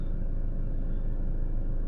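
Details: Truma D6 heater replacing a Truma gas boiler in a van, running electric-only at 900 W with diesel off, battery still charging at 3 A: low, steady, even rumble with no knocks or misses; normal idle.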